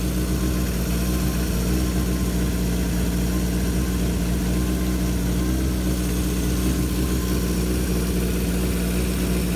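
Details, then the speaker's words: 1978 Kawasaki KZ650 C four-cylinder, revived after at least 5 years unrun, during carb vacuum balancing with dampers: smooth, deep, even hum at a raised 2000 rpm idle, no stumbling; normal fast idle, carbs balanced within about a quarter inch. "i need to set the idle to 2000 revs"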